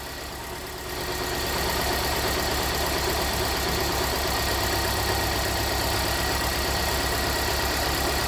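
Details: 2017 Hyundai Santa Fe Sport 2.4 with code P0301 (cylinder 1 misfire): at idle, a steady, lopey stumble repeating several times a second. Disabling the cylinder 1 injector brings no change. Cylinder misfire from an oil-fouled spark plug.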